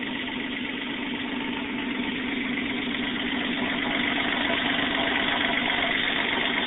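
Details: 1994 Toyota 4Runner, 3.0L V6, after a top-end rebuild: even, steady idle with a smooth regular pulse and no knocks or ticks; normal, healthy idle.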